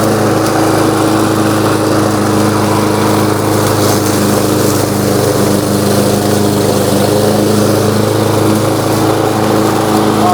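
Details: New Lowe's M230 163cc self-propelled lawnmower cutting tall grass in mulching mode at about a 3.5–4 inch height: steady, even single-cylinder drone with grass hiss over it, no misses or surging; cutting normally.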